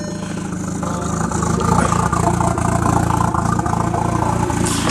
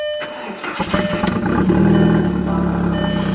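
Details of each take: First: Engine idling in neutral after swapping the original automatic ECU back in: a steady, fairly regular clunk about three to four a second over light lifter ticking, heard only on one side of the engine, the wheel wanting to spin; owner first feared piston slap or rod knock. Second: Engine in neutral after swapping back to the automatic ECU: brief crank, fires right up and settles into a steady even idle; the weird idle was blamed on the other ECU.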